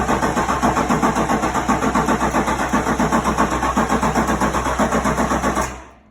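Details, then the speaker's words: Chevy C10 with 2005 Duramax diesel swap and lift pump, first crank after install with a dry fuel system; steady cranking beat of about four per second for several seconds while it primes, then starts well. Long crank before first start. "ahead cuz they all the fuel systems been dry"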